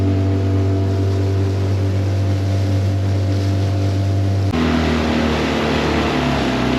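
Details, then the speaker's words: Tohatsu 9.8 long-shaft electric-start outboard after full rebuild, wide-open throttle on the lake past the no-wake zone: steady deep drone with water rush, no misses or surging; runs strong, and it ran great for hours afterward. "Okay guys, so we're out of the wake zone. Let's see what this thing can do on top end speed."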